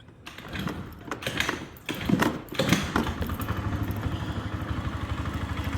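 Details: Zenen Honeybee moped, 2,900 km, off the road since last year after storage: a few thumps and handling noises, then the little engine catches and settles into a steady, even putter; a healthy idle.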